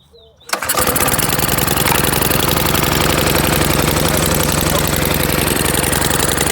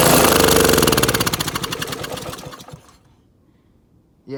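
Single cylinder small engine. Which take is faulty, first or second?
second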